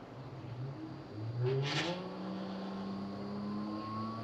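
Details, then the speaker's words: New Aeroflow brushless thermo fan with soft start, just mounted on a V6-converted L300, is test-spun: its whir climbs smoothly, then holds an even drone-like sound. A healthy new fan running normally. "I I honestly thought that was going to bloody fly off. Sounds like a drone."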